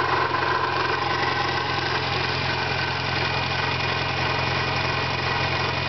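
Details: 1991 Eagle Talon TSI with small 16G turbo, adjustable wastegate, at idle: regular rough pulsing tick about three per second; owner suspects a failing pulley, valves, or a stretched timing belt due for replacement; unconfirmed.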